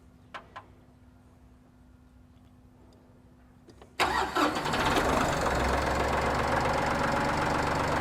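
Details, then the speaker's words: 2021 Massey Ferguson 1835M diesel tractor at 50 hours, start after oil change (5 quarts, horizontal filter), checking filter for leaks: quiet ticking, starter catches, then even steady clatter at idle with no misses; healthy, no leaks. "I'm going to go ahead and start it up here just to make sure everything's good. Make sure the filter's not leaking over on the other side."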